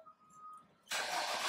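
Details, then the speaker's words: 2014–2015 Nissan Altima with an intermittent push-start no-start, now with the loose brake light switch reseated. Pressing the brake, it cranks once briefly and catches straight into a steady run; a clean, healthy start. "okay I'm gonna have my friend here start the car up he should start up in one crank he's gonna press a break"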